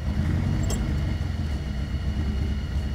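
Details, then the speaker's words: 1975 Toyota Corolla KE35 coupe after restarting: uneven idle with lumpy, irregular pulses and a wavering beat; rough idle, owner suspects air-fuel mixture or timing slipped a tooth, unconfirmed. "yeah it just doesn't like to idle maybe timing actually to be fair it might have slipped a tooth"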